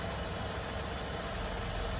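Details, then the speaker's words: Car on a stand with the suspension unloaded, engine idling in third gear without throttle: a constant low hum from the front wheel hub bearing, with vibration felt on the spring coil. The bearing was replaced 3 years earlier and hummed after 30 thousand; the owner suspects a non-original part or car-wash water causing rust. "Ну, короче, слышно, да, друзья мои? И на витке чувствуется вибрация. На витке пружины."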